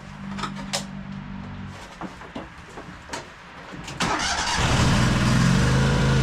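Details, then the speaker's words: High-hour Cub Cadet 2186 lawn tractor with Kohler engine: runs briefly, dies, then cranks with uneven catches and fires again but won't keep running. Fuel starvation despite gas in the tank, caused by a split fuel line. "Looks like it's not getting fuel. Pretty strange. Oh yeah, there's a all right, there's a split in the fuel line."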